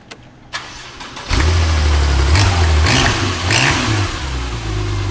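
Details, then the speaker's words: Crashed Porsche 911 Turbo started: brief crank with some clicking, a little smoky, then a steady, slightly lumpy idle like a small diesel; runs fine though no coolant in it. "is that motor oh you heard the clicking a little smoky it started sounds fine yeah yeah yeah"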